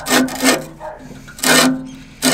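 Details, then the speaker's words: Classic reel mower during back lapping with grinding paste after the reel-to-bedknife adjustment: each turn gives a loud rasping scrape in short bursts; the reel may be set slightly too tight against the bedknife. "Let's see if this bad boy's cutting now. That sounds a little bit too..."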